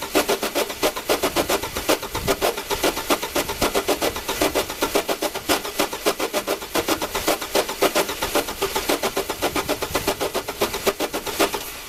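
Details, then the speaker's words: Old Chevy cranked on a JFEGWO 8250 jump starter pack: steady, fast starter cranking, about four compression beats a second, for twelve seconds without catching; cranks but no start. "it had no problem kicking this engine over and it wanted to just keep going in fact it's still trying to uh kick this off"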